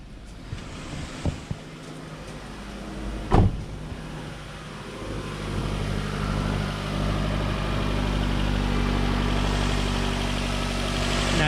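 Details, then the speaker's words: Nissan Rogue after new ignition coils and spark plugs, some oil burning off, no check engine light; after clicks settles into an even, steady idle with no misses; normal, second cylinder to be monitored for oil. "Now you can hear the difference. That's what it's supposed to sound like. That's 110 times better."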